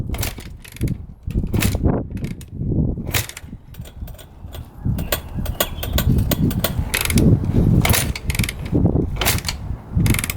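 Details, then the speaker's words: 2006 Honda CRF250R, fully rebuilt by the previous owner but never fired, kicked on choke with fuel flowing to the carb: uneven kick-over thumps about once a second, never catching, odd loose-cam-chain-like sound. "Yeah, that's a no-go. Kind of sounds weird kicking it over. Almost like the cam chain's loose."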